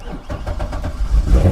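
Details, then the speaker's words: Salvage-auction car listed as a non-runner with no key, key found in it: a few quick cranking beats, then the V8 catches cleanly and settles into a deep, even idle; a healthy start. "oh it runs yeah she runs and it's listed as a non-runner how about that"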